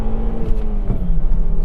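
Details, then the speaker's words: Volvo V70R, all-wheel drive, under a full-throttle pull through second and third gear on a test drive after a pump repair and system bleed. A strong, even climbing engine note over road and wind noise, with no smoke and nothing wrong heard. "oh man good job car that was a full second and third gear pull pretty much and that was okay it felt pretty good"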